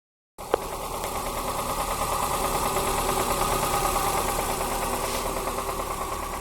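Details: Toyota Corsa with 5E-FHE engine that started knocking: the idle carries a steady, sharp metallic knock of about three per second. Engine knock at idle; a connecting rod knock is suspected, engine to be opened up.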